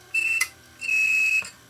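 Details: Failed 1TB Western Digital hard drive from a DVR that failed due to bad HDD; platter not seized, drive gives two short shrill chirping squeals in two seconds while struggling to spin up; drive is shot.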